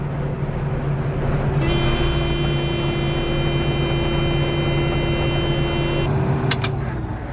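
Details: Combine being serviced before harvest, rotor run in first gear: even diesel rumble with a steady high whine for a few seconds as the drive spins up, no knocks or grinding; sounds healthy.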